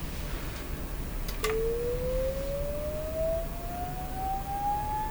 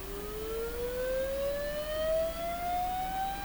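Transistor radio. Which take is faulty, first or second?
second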